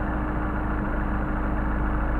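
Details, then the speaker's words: Mercedes 190SL Solex carburetors being tuned, idle mixture screw adjusted: steady even idle that sags in rpm because the screw is turned in too far; backing it out brings the rpm back up. "we see we're losing rpm so I'm gonna screw the screw back out picking up rpm"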